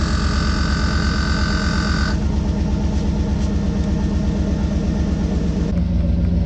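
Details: 2013 GMC Yukon Denali with AutoRide (Z55) air suspension, just after installing a new air compressor, engine idling: steady low motor hum with even tone as the compressor fills the air shocks. Normal air suspension compressor operation.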